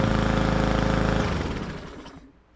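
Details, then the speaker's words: Roadside-found mower, model 11A-B2M7031, after carburetor drained and cleaned for bad fuel (timing, spark, compression confirmed): steady even single-cylinder firing then smooth wind-down at shutoff; normal running. "the engine it sounds good we know we have timing spark and compression fuel is the problem here"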